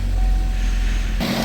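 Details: 2015 Chevy Equinox idling right after starter replacement: steady low engine rumble, even and unbroken, smooth idle settling in after start; normal idle after repair.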